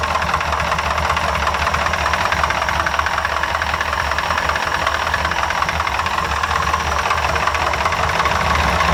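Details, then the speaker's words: Ford F100 V8 with a tapered bore, idling with good oil pressure: uneven, lumpy beat with a faint knock around 160 a minute and the exhaust sucking air back at the pipe; one cylinder is misfiring, engine to be torn down. "yep sounds great yeah i think still runs really good but i can hear one cylinder's not happy so i kind of want to do a compression test"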